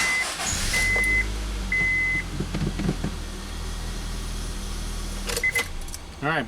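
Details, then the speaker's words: 2003 Honda Civic EX sedan after steering lock assembly replacement and immobilizer programming by scan tool: with the immobilizer light off, the second key is tried; a few chimes, then the engine catches promptly and settles into an even idle. Both keys work; normal start. "both keys work."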